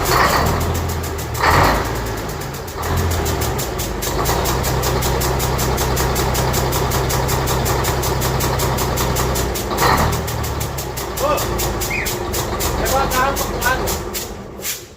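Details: Diesel engine with turbo, freshly reassembled and first started, settles into a steady, even idle with low drone and clean rhythm, no knocking; oil pressure reads almost 8; running fine.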